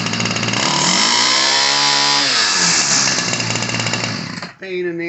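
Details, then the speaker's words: Ryobi 725r EZ two-stroke gas trimmer from the 90s, new fuel lines and filters: high buzz sagging and climbing as the high-speed mixture screw near the choke arm is turned; running rich, spitting fuel into the air filter, being leaned out. "all right so it was spitting fuel out at first and that was the issue it was clogging up the uh air filter and making it really bug out when this was on there"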